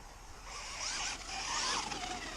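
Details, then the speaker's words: Laegendary nitro RC car coasting off throttle: a thin, high whine sweeping up and down from its coarse module-1 spur gears meshing. Gear mesh noise. "yeah I don't I don't really like that gear mesh sound this when you take your finger off the throttle you can hear it"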